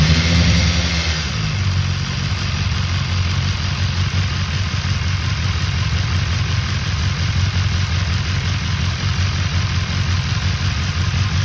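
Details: 2019 BMW S1000XR Gen 1 motorcycle at idle: a light, fast, uneven rattle over the low engine note; cam chain rattle is suspected but not confirmed.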